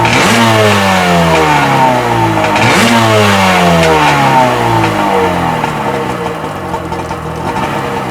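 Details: Sea-Doo XP 720 two-stroke, freshly rebuilt, driveway test on flush hose with pump disconnected; crisp throttle blips, buzz climbing and falling cleanly with no knocks or stumbles: normal revving, pulls freely.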